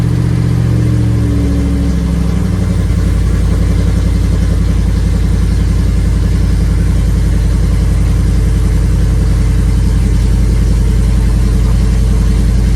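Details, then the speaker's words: First start of naturally aspirated cammed V8 (HPT cam) after BES Racing heads install, long tube headers, full bolt-ons; cranks, catches within seconds, strong even lope with revving, no ticking or clatter; normal start-up and revving. "Let's give it some gas. Woo. Sounding tight. Sounds tight, baby. Sounds good."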